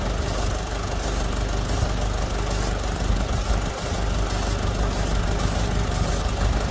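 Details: 1983 Jeep DJ5 postal Jeep with a miss, intake manifold and surrounding parts being sprayed to find vacuum leak: loud low uneven idle with sharp spray hisses; rough idle, leak suspected, not confirmed.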